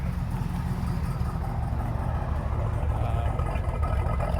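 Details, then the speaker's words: Frame-off restored 1969 Chevrolet Corvette C3 convertible, 350 V8, four-speed, engine believed rebuilt; deep slightly loping idle, even, no knocks or ticks, almost sounds cammed: normal idle; smokes a little, thought fuel/carburetor related, not oil. "Sounds great. Almost sounds like it's cammed."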